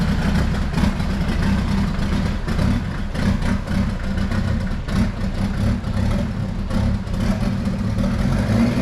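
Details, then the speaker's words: Jeep Wrangler YJ with a swapped Mercedes diesel, lifted, just fired up and run briefly: deep, lumpy uneven idle with throttle blips, smoking heavily; owner expects injector pump adjustment is needed, and a turbo line hose appears to be leaking. "I'm gonna fire it up back it out let it run for a little bit and it smokes like a bear so I'm sure I'm gonna have to do some uh adjusting on that injector pump hopefully but put you guys in here"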